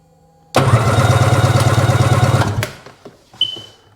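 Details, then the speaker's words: 2005 Sea-Doo 3D 787, believed submerged, compression check: two seconds of steady starter cranking with even compression pulses, about three and a half per second; compression sounds healthy, motor judged good. "motor's good I think I'm going to run the old spark plugs first see if we get anything"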